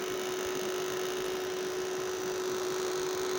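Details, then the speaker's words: Homemade solar UPS transformer running on solar with mains off, two batteries: constant, steady one-pitch buzzing hum from the coil; loose core laminations vibrating. "ये आवाज़ आ रही है कॉइल की रनिंग करने की।"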